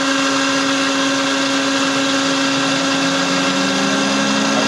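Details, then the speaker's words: FIAC New Silver screw air compressor after a cooling fault was fixed with an adjustable thermostat fitted on the radiator, which switches the fan on at 85°C; smooth, even hum with a steady whir and constant fan rush, no knocks or surges; working well. "स्तर 85 डिग्री पर सक्रिय है और यह आदर्श तापमान है, सामान्यतः अन्य नियंत्रक 85 डिग्री पर सक्रिय होते हैं, यह बहुत अच्छी तरह से काम कर रहा है"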